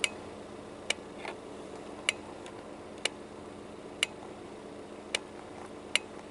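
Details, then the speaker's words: 1989 Volvo 240 GL overdrive relay, behind glove box, after re-soldering its contacts: crisp single clicks about once a second when the overdrive button is pressed; relay switching properly. "you'll know it's not working because when you click the overdrive button here it won't make a noise I fix mine so it does make a noise"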